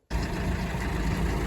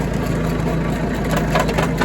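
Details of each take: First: Used Kuhn GA 4101 GTH rotary rake, first engagement on tractor PTO, arms off and hydraulic line disconnected so rake sits low and scrapes ground: deep even engine drone, steady driveline, no knocks or grinding; runs smooth and healthy. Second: Tractor driving a used Kuhn GA 4101 GTH rotary rake: a rapid rhythmic clatter builds through the PTO driveline as the shaft angle increases. The same angle-related clunk occurred with this tractor's tedder; cause unknown.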